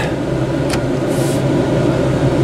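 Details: 1963 Chrysler 300J heater blower on high after the heater control switch was repaired and reassembled: steady, even fan whir with a low hum, no rattle or squeal; blower running normally.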